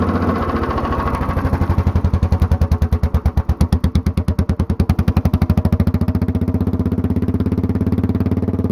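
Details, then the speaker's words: Mostly stock Honda clone single with stage-1-style header, 10 lb cast-iron flywheel, cam modified; choke-on start, slow heavy pulses quicken and grow louder as the automatic compression release drops out, then even thumping; normal start-up. "Alright, so you could hear when I was starting it up and stopping it, there was a little bit of a change in the sound. When I was first starting it, it kind of took a bit to get up to speed, and then it got louder all of a sudden and sped up quicker."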